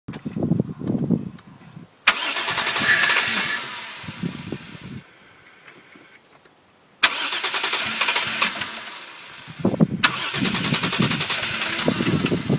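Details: Toyota Soarer: repeated cranking bursts, each catching briefly then dying; fires but won't keep running though battery, fuel pump, lines, filter and fuel ECU seem fine; owner suspects insufficient airflow.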